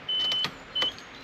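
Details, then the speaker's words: 1993 Nissan Skyline RB20DET after fuel filter replacement: ignition on with the fuse reinstalled, no engine running. Two short, steady high-pitched whirs as the electric fuel pump primes normally; the engine later started fine with no leaks. "okay we going to go ahead and prime the vehicle you should hear the fuel pump turn on now what we're going to do is go ahead and let it sit for a little bit we're going to prime it"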